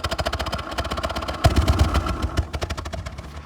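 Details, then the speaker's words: 2014 Ford Explorer Police Interceptor AWD, 3.7L V6, 63,000 miles: uneven, stumbling exhaust pulses at idle with gaps and thumps, a bad misfire. The engine shakes and the accelerator seems unresponsive. "You can hear the exhaust how bad it's misfiring."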